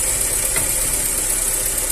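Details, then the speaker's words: G5, about 2009, after replacing the auxiliary belt pulley bearing: steady, even idle with a constant hum and no knocking, squealing or rumble, and the earlier loud noise that resembled a steering pump or alternator is gone. "Sereno tá vendo ó não tenho mais aquele barulhão no carro tá resolvido o problema"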